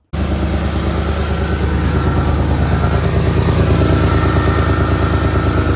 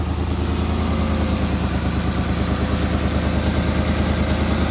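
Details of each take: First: Porsche Cayenne GTS 4.8 V8, cold start after oil and filter service, ran about a minute checking for leaks: V8 idle with rapid puffing chuff about three pulses a second over exhaust note; exhaust leak blowing. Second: Porsche Cayenne GTS 4.8 V8 first start after service with new oil, air filters and spark plugs: even, steady idle with smooth low rumble, no misses or hunting; sounds much better than before, throttle response improved.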